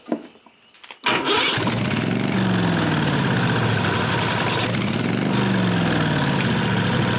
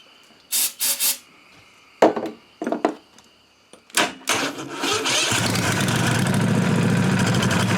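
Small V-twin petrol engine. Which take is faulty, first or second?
first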